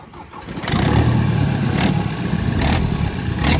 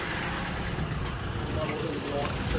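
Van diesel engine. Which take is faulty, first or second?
first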